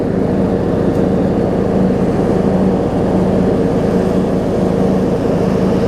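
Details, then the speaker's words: John Deere D105 riding mower, 62 hours, sat unknown time, revived: steady low engine drone at constant speed while driving, no stumbling or surging; normal running, improved. "You can already hear it running a little better."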